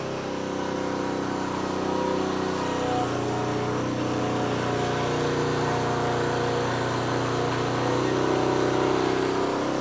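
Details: Honda CT110 postie bike after carburetor rebuild, first start on reserve fuel: small single-cylinder engine catches and keeps running with a steady buzz, no sputtering or dying; normal running.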